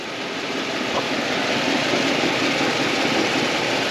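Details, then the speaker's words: OBS Chevy Suburban running with the Vortec distributor: fast steady ticking about four a second under the engine roar from leaking exhaust manifolds; one was loose, gasket suspected bad, to be tightened until headers are fitted. "it sounds like there's some coming from over here too so we're going to hopefully be able to just tighten these up some and get some get some quiet it down some"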